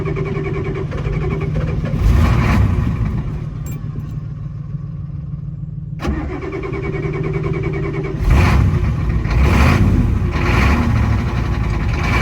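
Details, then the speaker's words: 1987 Ford F-350 diesel started after sitting 8 months, batteries charged about an hour, ether used; low steady diesel clatter holding even idle through throttle blips; wiring issues noted; normal diesel idle. "It's running. That really didn't take much effort."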